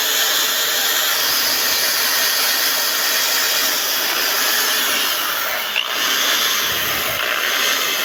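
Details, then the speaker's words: Electric drill after re-greasing its gears: steady, even high-pitched whir with no grinding or rattle, now quiet; normal running. "Yan, mga ka-repairman, no? Tahimik na."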